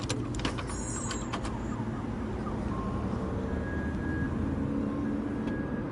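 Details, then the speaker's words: Gazelle van with Chrysler engine after replacing the fuel filters: engine rumble with only brief faint pump sighs, the earlier constant fuel pump buzz gone. "сейчас нет такого постоянно вооружения есть просто вздохи насоса от того что он счастлив"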